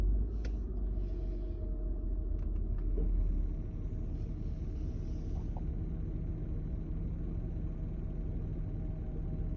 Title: 2000 Honda Odyssey - Rough Idle - RPM and O2 Sensors.